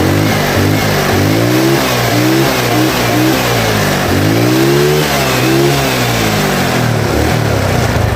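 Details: Yamaha Mio Sporty carburetor scooter after replacing carb vacuum slide diaphragm set with needle (needle jet kept): idles and picks up smoothly on each throttle blip, pitch climbing and falling cleanly with no stumble or hesitation.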